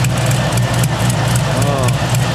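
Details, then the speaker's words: 1969 Camaro V8 at idle with headers: a sharp puffing tick over the rumble. The exhaust leak at the header flange persists after fitting copper gaskets, as with the previous factory MLS and Holley gaskets; the flange is suspected to be warped. "Put the copper gaskets in. You can still hear the exhaust leak. I can put my finger right there and I can feel it pulsing up"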